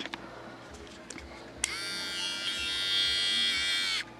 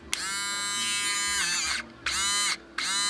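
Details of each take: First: Harbor Freight 12VDC rotary tool run from the computer power supply's 5V rail: faint, weak high whirring surging on and off; runs slow and underpowered from low voltage. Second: Harbor Freight 12VDC rotary tool powered from an ATX computer power supply 12V rail (8 A): three bursts of high, clean whine spinning up instantly, about as strong as on battery; normal running.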